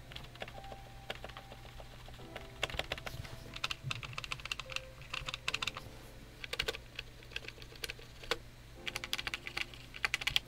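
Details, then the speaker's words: Redragon K596 Vishnu TKL keyboard: typing clatter with crisp, thin ticks on some keystrokes, likely the longer keys; stabilizers fit the plate poorly, about a millimeter off, and shake and tick. "all right so you can hear what that sounds like it's just it's not it's not a pleasant sound can hear the ticking"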